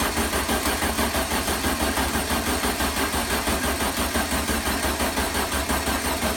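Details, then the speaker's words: 1973 VW Super Beetle engine, start attempt after overhaul. Rhythmic cranking at about three pulses a second that never fires. Crank no start; fuel delivery problem suspected, and the battery sounds low. "well the good news is the engine is trying to start I do have fuel delivery problem i'll try to troubleshoot it"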